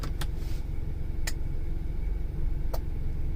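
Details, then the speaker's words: 2003 Ford Explorer 4.0 SOHC 4x4, complaint 4WD not working: steady low engine rumble with short clicks and a clunk as the transfer case shifts between low and high range, engaging normally. "and you can hear a clunk there we go guys"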